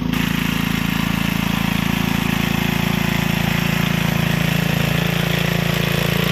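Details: Gilson rear-tine tiller, a junkyard find from 4–5 years back, test run after cleaning dirt out of the sticky recoil. Even single-cylinder firing at about four beats a second holds steady under load, with no misses or knocks. Healthy engine. A fuel leak was noted at the tank/carburetor seam.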